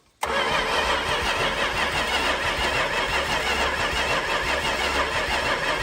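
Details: 1968 Plymouth Fury 318 with one-barrel carburetor, barn find not run in over 20 years: steady even cranking that never catches; points corroded, new condenser fitted, spark now present, points gap still being adjusted.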